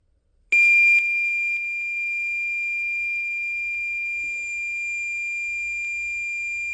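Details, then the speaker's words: Cheap modern USB cassette deck, playing back a save recorded from an MSX computer: one steady high tone with no data warble after it; tape holds only the leader/startup tone, save failed. "okay so there was a file on there which is essentially what we've just played back which is just a single tone which is the startup tone"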